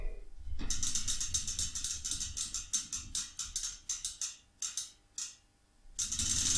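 Fast, even bursts of crisp pawl clicks, about four a second, as the wheel coasts and slows; a healthy freewheel.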